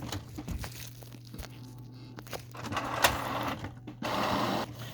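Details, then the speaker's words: Canon Pixma printer (TS6120/TS6220/TS8120/TS8220 family) after fixing error 1003 by correcting cassette paper-size setting; irregular whirring and clicks as paper is picked up and print head moves. Normal paper feed and printing. "now you can hear that the printer has picked up the paper and it's printing it out"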